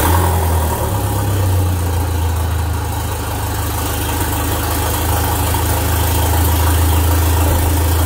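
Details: Alfa Romeo MiTo 1.4 T-Jet, freshly built with forged ZRP rods, Wossner pistons, Boubis cams, Abarth hybrid turbo, Bosch 440cc injectors, no downpipe fitted: loud raw roar straight off the turbo at a steady even idle, no misses or knocks; healthy.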